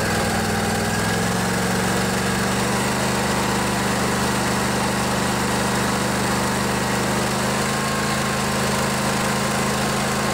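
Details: Craftsman DYS 4500 riding mower, 24 HP Briggs & Stratton Intek twin, after storage and a full service with the fuel tank cleaned and the carburetor refilled. It settles after a second into a steady, even drone with no misses or knocks; running smooth and healthy.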